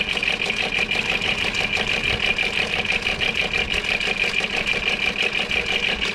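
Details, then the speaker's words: 2002 VW Eurovan with VR6 engine at idle after adding Seafoam: light quick ticking rattle about three a second, seemingly from right over the manifold, loud at idle and gone when revved; Seafoam did not help, cause unknown. "so don't get when you rev it up quiet sounds pretty decent until it gets down to the idle and it's loud as heck"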